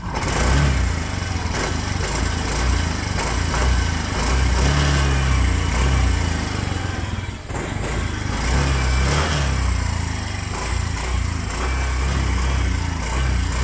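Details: Motorcycle engine previously run dry of oil, refilled; noise now mostly gone after work: blipped up and down a few times, revs climb and fall cleanly with smooth even exhaust note, no knocking; normal revving.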